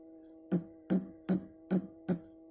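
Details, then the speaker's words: Orange RockerVerb 50 amp, tapping the four power tubes lightly from the left: taps ring loudly through the speaker over a steady hum; the second tube is microphonic. "But 2 out of these 4 tubes are microphonic. Let's have a listen."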